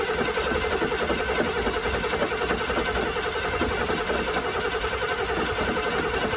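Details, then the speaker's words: 1984 GMC Sierra Classic after sitting about six months, freshly installed battery: starter spins the engine at about three and a half beats a second with no firing; no fuel pulled up to the carb, fuel likely evaporated. "Alright, so we're not pulling up fuel up to the carb. Like I said, it's been sitting, so fuel's probably evaporated out of it."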